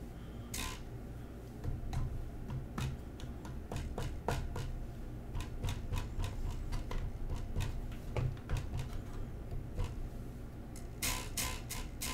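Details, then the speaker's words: Newly built Prusa i3 MK3 3D printer: low steady hum with irregular sharp ticks and rattles, some in quick clusters; something in the power supply rattles from vibration and appears when the board is touched, cause unconfirmed. "That is something in the power supply that is rattling badly. That is going to drive me nuts."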